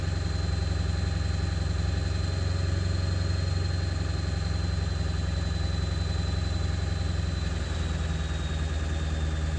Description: 7.3 running after replacing icp, still not running great. Sounds rough in person not sure how well it transfers though camera.